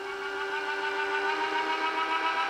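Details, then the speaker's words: Power feed motor on HiTorque 3990 Mini Mill at maximum speed control setting, table moving left: steady, even high whine with no grinding, clicks or speed hunting; running normally. "that's the maximum speed."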